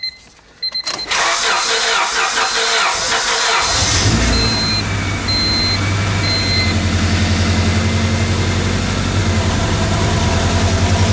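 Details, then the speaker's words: 1998 Honda Civic 1.6L, first start after engine replacement, distributor reconnected, some exhaust noise expected, battery possibly weak: cranks, catches quickly and settles into even steady idle with slight exhaust rasp; running pretty good, a warning light came on. "I know why that came on. Running pretty good."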